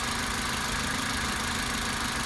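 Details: Toyota Avensis 1.8 after valve clearance adjustment with thicker tappets (exhaust clearances had been 0.60 and 0.40 mm): smooth even idle, soft faint top-end sound, no ticking; valve noise nearly gone.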